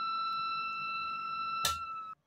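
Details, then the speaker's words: Mesa/Boogie Mark IIC+ reissue amp in its headshell, settings known to oscillate: steady high-pitched whistle with sharp overtones until power cut; oscillation occurs in headshell but not on bench, heat suspected, cause not confirmed. "And let's keep those settings as we know they are oscillating. Again, just to show we have oscillation."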